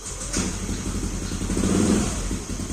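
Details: Hard-starting motorcycle running after a broken injector wire was reconnected. Small single runs steadily with a soft, even putter and a faint hiss behind it; no misfire or hesitation; normal running.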